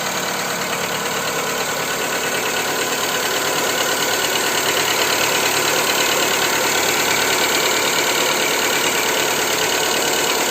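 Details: Skoda Fabia 2 with 1.4 engine, after Ceratec treatment: at idle a sharp, even ticking knock about three per second rides over the engine hum, steady throughout; engine knock, cause not yet identified.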